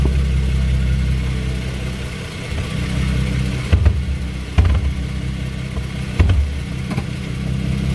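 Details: 2016 Ford Mustang V6: several hard, dull clunks over a low engine hum, only when turning left and in reverse, sounding like binding; control arms, tie rods and sway bar links checked and not loose. Suspension clunk.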